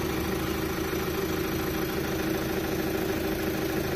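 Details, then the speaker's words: 2008 Chevrolet Captiva diesel, 5-speed automatic AWD, after repair including cleaning supply pump timing gear: steady, even diesel idle with soft low clatter and no misses or knocks; engine runs smoothly. "Oke, sudah berjalan. Bagus, teman-teman. Mulus."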